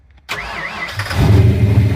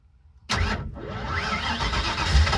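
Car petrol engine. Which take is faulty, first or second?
second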